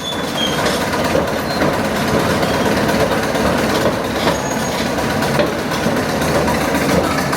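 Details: Caterpillar Diesel 70 crawler, after three years of restoration (leaks, welding, oil pressure work), on its first slow lap around the boneyard in decades: loud, steady diesel clatter with no knocks or surges; running healthy.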